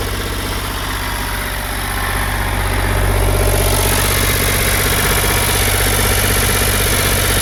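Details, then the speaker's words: Ford 4600 classic diesel tractor, first run after fitting a service-exchange injection pump. It holds a steady fast idle of about 1300 rpm that won't drop to the 800 rpm tick-over because the throttle linkage is held open and needs adjustment. "Now, it looks like I'm going to have to make some adjustment on it because that is as low as the revs will go. About 1300 it's revving at."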